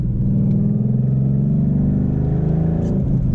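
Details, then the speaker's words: 2012 Ford Mustang Boss 302 with MT82 manual transmission, driven in cold weather: steady low whine under the engine note that rises with rpm under load, pulling in first gear; owner attributes it to the transmission, cause unknown. "listen everybody hear the whining it goes up with rpm so it's definitely a transmission issue"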